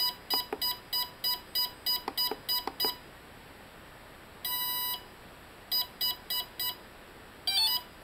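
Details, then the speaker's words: Bench test of a Hobby King brushless motor on a 60 A ESC with a servo tester and 4S battery, armed by completing the circuit; short beeps, a long tone, then groups of four beeps showing the ESC sees the battery. Normal setup beeps. "so at this point I'm just going to turn it on by completing the circuit here and we hear some healthy beeps"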